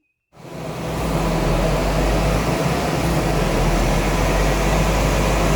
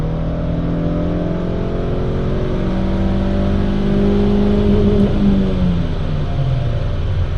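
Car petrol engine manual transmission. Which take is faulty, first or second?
first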